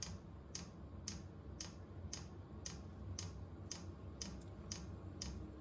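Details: Vevor 8 kW Chinese diesel heater on its first test run at startup: sharp, light fuel-pump ticks about twice a second over a soft fan rumble as it fires. Air possibly in the line, fan picking up. Normal fuel pump ticking.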